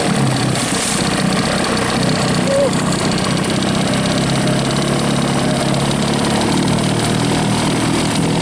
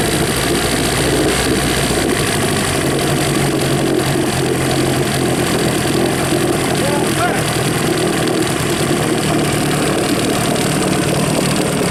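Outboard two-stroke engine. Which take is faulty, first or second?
second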